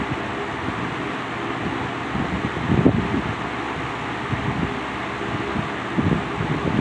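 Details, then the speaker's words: Wizard window box fan on high speed after a motor rebuild with transplanted bearings and end caps, not run for a long time before: steady airy rush and low even hum, no rattle or grind; runs normally. "All right, start it up on the high speed now."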